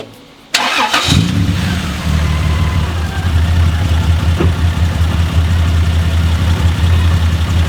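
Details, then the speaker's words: 1995 Toyota Land Cruiser 80 series petrol, distributor ignition: catches after brief crank, uneven lumpy idle with wavering low note; exhaust leak below extractors and black smoke; valve replaced stops stalling, plug leads all firing; cause not pinned down. "And you can see it's just running rough. It sounds lumpy."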